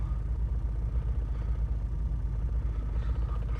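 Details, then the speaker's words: 2014 Ford F-150 3.5 EcoBoost in limp mode with a dead throttle pedal, code P2112: after an RPM flare at startup it idles with a deep, uneven rumble pulsing about twice a second and shaking. The throttle body is faulty and is being replaced. "It's that jump in RPM there, and it is definitely shaking and vibrating in here"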